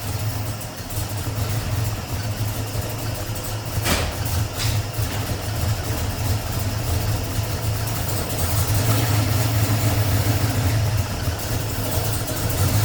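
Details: 1989 Ford Mustang with a 351 Windsor V8, warming up: steady, even low rumble at idle with no knocks or misses; normal, healthy idle.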